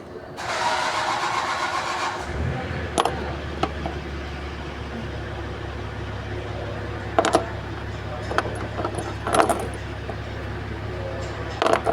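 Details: 2015 Nissan Patrol Platinum V8 cranks and settles into a rough lumpy idle; severe misfire from bad spark plugs on cylinders 1, 3, 5, 7, while plugs on 2, 4, 6, 8 are fine.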